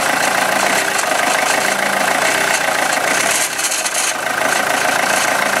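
A steady idle with a light, fairly regular tapping riding on top, roughly two per second; a knock from somewhere inside, cause unclear.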